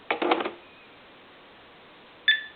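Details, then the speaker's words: Bugs Bunny Tele Mania animated cordless phone: soft clunks as the handset drops into the base charger, then a short two-tone beep, the normal handshake showing handset and base are linked. "you always want to hear that beep when you set this handset down in the telephone charger because that's an indication that the hands set in the base said hey I'm here I'm ready to go"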